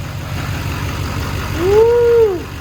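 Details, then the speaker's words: HMMWV Humvee with swapped Duramax LBZ diesel running for the first time after FASS lift pump install and priming: even, steady low idle rumble, no knocks or misses, brief passing tone; sounds just as it should. "I mean the engine sounds amazing it sounds just as it should"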